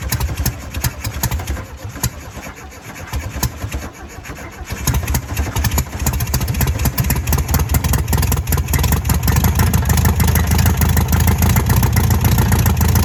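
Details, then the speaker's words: 1968 VW Beetle, first start after sitting about 35 years: weak, ragged firing for a few seconds, then it catches into an uneven, lumpy idle. The carburetor is suspected gummed up from sitting; hard starting and rough running. "This carburetor's probably all gummed up inside. It's all them years of it sitting."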